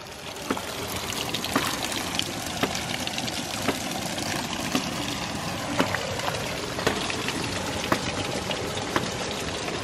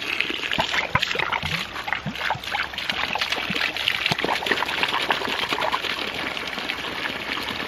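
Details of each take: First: 1-inch ram pump restarted after winter dormancy, half-inch output delivery pipe: crisp solid snaps about once a second at the valve and drive pipe over running water; pump cycling properly. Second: 1-inch ram pump restarted after sitting through winter, supply pipe from a bucket: irregular gurgling and splashing bursts as trapped air is pushed out of the supply pipe; flow rate rises once the air is out.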